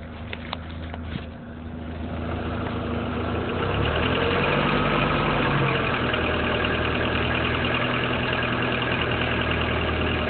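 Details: BMW E36 with M43 engine: a steady idle with a regular light knock of roughly four per second, even and persistent. The engine knock's origin is unclear.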